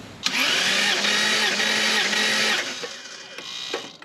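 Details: Lexus GS300 2JZ-GE inline-six, spark plugs out for compression test, chasing slight misfire: even, steady whirring crank with smooth regular beat; first cylinder about 150 psi, consistent across all six cylinders, rings seem fine.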